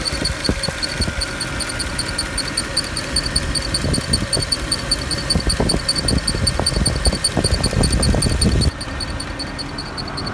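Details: Mercedes E63 at idle with uneven rattling clicks about two or three a second and a faint high whistle; abnormal noise that appears to come from one of the fans, unconfirmed.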